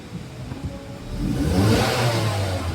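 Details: Ford Escape that would not start, fixed by restoring the original starter wiring to the ignition key (relay removed): engine catches and revs smoothly, rising pitch, no stumble or starter grind; runs with no check engine light.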